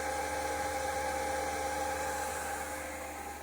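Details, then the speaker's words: Diesel heater in a Vauxhall Vivaro campervan at start-up, dosing pump running and glow plug heating: steady, even fan whir with clear unwavering hum tones, no knocking or scraping; blower running normally. "and that the fan is actually turning, which I can hear it is."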